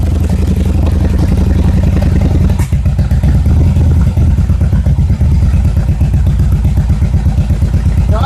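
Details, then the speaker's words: Yamaha XVS1100 V-twin before carburettor jet cleaning: uneven loping idle with irregular firing, then stumbles and bogs when the throttle opens as too little fuel matches the added air; fuel starvation from restricted carburettor metering. "just Falls right on its face opening the throttle up introduces more air and there's not nearly enough fuel to compensate and so it just falls on its face so those are the symptoms that are typical of a restricted metering system in the carbonator"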